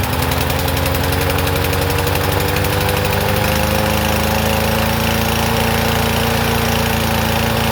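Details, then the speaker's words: Troy-Bilt TB110 push mower, about 10 years old: loud, uneven single-cylinder chug about 3.5 beats a second, lumpy as if on choke; rich rough running from a dislodged carburetor part hitting the main jet. "Okay, I bet you that was on I wonder if I did that, but it was running like it was on choke."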